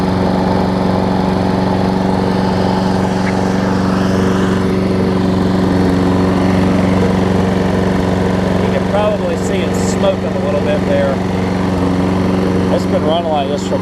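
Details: Troy Bilt self-propelled mower, Briggs & Stratton Quantum engine, after correcting the wrong auto-choke carb to a primer-bulb carb, running warm: a steady, even drone with no misses or surging. It smokes a little, which the owner attributes to running without an air filter.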